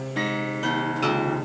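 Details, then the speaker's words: Guitar open strings plucked in turn, each with bright sizzling buzz while frets are clean; over-slotted nut, slots cut too deep. "okay, you can hear them buzzing. And you can hear the frets are clean. So we know the problem is in the nut."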